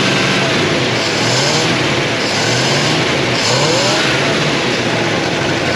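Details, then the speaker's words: 1957 Chevy Bel Air, likely a 283 small-block V8, garage kept since '76, fuel pump working. A raspy, rich, uneven run with the revs surging in slow waves after flooding. They suspect something stuck in the carburetor and are letting it run the carburetor dry. "Something's stuck in the carburetor. So what we're gonna do is not give it any more gas here. Let it run out of gas as far as the carburetor is concerned."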